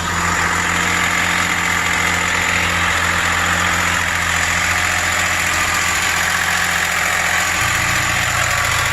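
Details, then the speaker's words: 2003 Ford Explorer 4.0 V6 started right after a timing chain install: loud, harsh idle with a busy metallic rattle over a steady drone, running noisy; cause unknown, later seemed slightly better. "a little [Music] that doesn't sound good at all huh"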